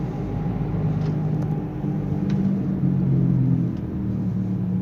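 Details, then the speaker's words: Nissan Sunny while driving: a steady low hum under road rumble that grows with speed, also present in neutral, with noticeable vibration while the engine itself sounds normal; wheel bearing hum. "गाड़ी में problem है गाड़ी जब चल रही है तो इसमें हमिंग साउंड आ रही है तो मैं आपको ट्राई करवाता हूं तो आप ध्यान से सुनिए जैसे स्पीड बढ़ेगी तो हमिंग साउंड आएगी"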